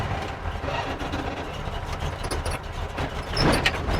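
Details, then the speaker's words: 1957 Chevy V8, ice-cold start: low, even idle around 800 rpm with 80 psi oil pressure, no knocks or misses. "The car is ice cold. We got 80 pounds of pressure and we're at like 800 RPMs."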